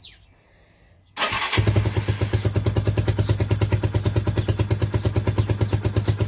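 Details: Starter catches and a Lifan 125 single-cylinder motorcycle settles into an even, steady idle at about three beats a second, after a loose wire on the kill/control switch was soldered back that had caused a no-start.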